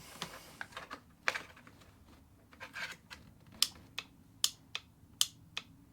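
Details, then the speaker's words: Vauxhall Corsa D 1.4 petrol, old EVAP purge valve removed and bench-powered from battery: sharp loud rapid clicking; noisy purge valve causing the common engine tick. "that is really loud like really loud and what you got to understand this thing is like shuttling so fast you probably couldn't blink quick enough it's like click click click click click click it's really quick"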